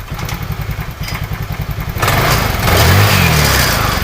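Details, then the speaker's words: Carbureted Honda Vario 110 scooter whose engine dies when the brake is pressed: even single-cylinder idle, then a quick throttle blip that rises smoothly and holds without stumbling or popping. It revs cleanly. "saat di gas motor juga tidak ada brebet ataupun"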